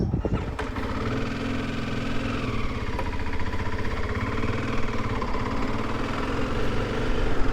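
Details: Motorcycle started after a new clutch install; engine catches at once and settles into a steady, even single-cylinder thump with no knocks or clatter: normal start and idle.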